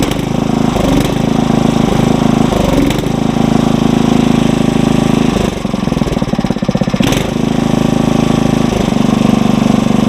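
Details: Engine on a tiller, warmed up and throttled to fast idle, no load; steady raised-speed single-cylinder drone holding even with only brief dips. Normal fast idle.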